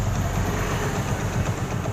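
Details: Hero Passion Pro motorcycle at start-up, with no pickup: quick, steady tak-tak ticking over a low idle thump; exhaust blowing past a burnt head gasket; new gasket plate planned.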